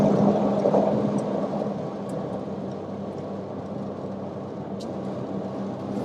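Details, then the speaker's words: Truck driving, noise listened for at 40–60 mph: steady low hum over road noise persists in left turn, disappears in right turn, indicating a failing right-side wheel bearing. "the home was still present during the left-hand turn so that usually indicates that it's not on the left side"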